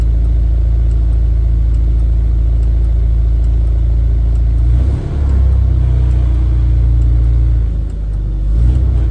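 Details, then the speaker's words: Rover P4 80 at fuller operating temperature after fixing the faulty carburettor fuel solenoid that had let fuel flow after key-off, causing exhaust backfire at shutdown. Deep steady idle with brief dips, then a clean stop with no pop or bang. "okay that sounds a bit warmer now let's see if the backfire is going to turn it off no backfire so problem solved so it appears it was a fuel solenoid issue in the carburetor"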